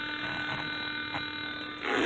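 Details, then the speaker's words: 2005 Chevy Equinox, engine running: steady harsh fixed-pitch electrical buzz from the speaker with radio off, only when the car is running; source unknown, also has start failure. "it's really loud in here with that speaker buzzing like that and it only happens when cars on"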